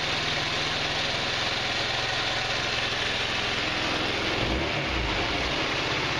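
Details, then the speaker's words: GY6 150cc four-stroke retro scooter (Verano 150 type) on its center stand after a valve adjustment: an even, steady idle with a smooth low thrum and no tapping or hunting. The idle works out right. Normal idle. "worked out right on the idol sounds like it's running pretty all the now"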